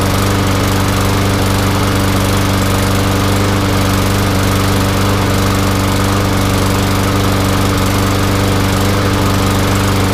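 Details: Newer MTD Yard Machines front-wheel-drive mower with a newer Briggs and Stratton engine, brought in for not starting, fired up after the holed gas tank was replaced; holds a steady, even drone with no misses or surging; running normally.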